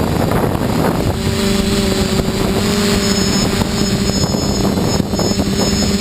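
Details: Quadcopter drone at full throttle while flying gives a strained buzzing roar with steady tones over gusty wind; unidentified noise that does not occur at full throttle on the ground.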